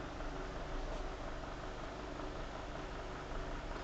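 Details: Venol electric fan after a noise repair using a small piece of pen cap, reassembled and plugged in: smooth, steady low hum with even airflow hiss, no ticking or rubbing; running normally.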